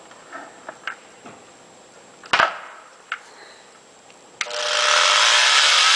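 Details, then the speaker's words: Used Craftsman router model 928180, 9.5 amp, 25,000 rpm no-load, with work light on; after a few clicks spins up to a steady high-pitched whir with no grinding or rattle; static visible inside the housing, router works. "The light is on and it's spinning. And as you guys can see the static inside the housing, and it does work"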